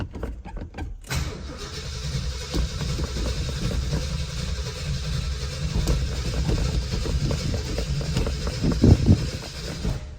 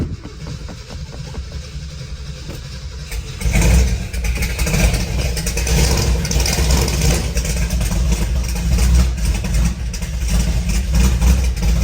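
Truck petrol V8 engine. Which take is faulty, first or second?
first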